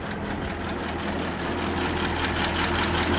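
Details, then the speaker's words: 1927 Elcar engine running with no smoke or leaks. A light tick about three times a second rides over an uneven, slow idle. Valve lifter noise; the valves likely need adjustment. "45 and you can hear some lifter staff and I'm sure it's gonna meet some valve adjustment"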